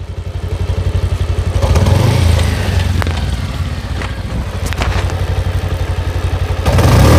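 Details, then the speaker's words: Pulsar motorcycle in third gear at half clutch, giving a lumpy low engine thud with loose khat-khat knocking at about four per second. The mechanic attributes it to the chain slapping; the cause is suspected, not confirmed. The grinding heard in fifth gear is absent in third. "আশা করি বুঝতে পারছেন, মানে যখন half class করা থাকে chain থেকে খটখট খটখট সাউন্ড আসতেছে।"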